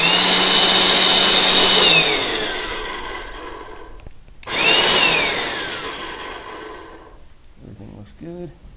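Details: Wagner/Spraytech airless paint sprayer after pump seal repair, cover still off: high steady motor whine with pump buzz, switched off and coasting down, restarted smoothly, pump runs normally.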